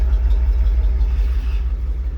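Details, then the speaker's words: Old gas V8 manual 4x4 pickup at a used-truck inspection, idling after a jump start: a deep, steady rumble with no misses or rattles. The engine sounds quiet; a wobbling pulley makes slight noise, with no valve noise. "listening for any noise right here you want a nice quiet engine sounds quiet"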